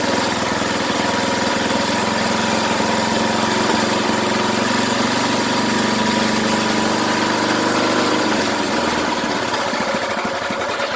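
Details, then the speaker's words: 33-year-old small single-cylinder go-kart engine, first firing after restoration with good spark and compression: catches and settles into a steady, slightly uneven run; smells odd, something burning off the muffler. "Okay, so it runs. Smells a bit funny."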